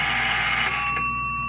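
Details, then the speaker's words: Old Heinz restaurant soup-heating machine's brass mechanical timer, which was not timing properly and was later repaired; a single bright bell strike rings out and decays slowly over a steady hum; timer end bell. "And what you do is you'd set this little timer here, and when the timer went off,"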